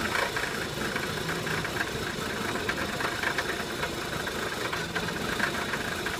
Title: 2003 Passat 1.8T Rough Idle